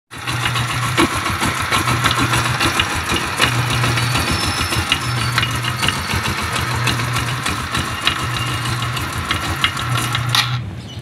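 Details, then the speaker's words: GY6-type scooter engine at idle with the old, overly soft drive belt: a loud, fast, ragged slapping clatter as the belt hits the crankcase. Fixed by fitting a new 842 belt. "dahil sa sobrang Pagpag a tumatama doun tumatama na sa Crank casas yung belt nagko-cause ng ingay no"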